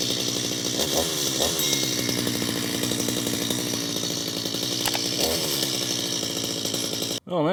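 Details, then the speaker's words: Stihl MS250 chainsaw after about 18 months in storage, about 67°F, after extra pulls to prime the run-dry carburetor: steady high buzz with a couple of brief throttle swells, then it cuts off; started quickly and sounds healthy. "we can see that thing uh started up very very quickly actually."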